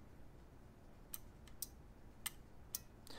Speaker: you hear that clicking that's the relay turning on and off and you can hear that you can hear that in your oven when your oven turns on the element you can hear that click and that's that relay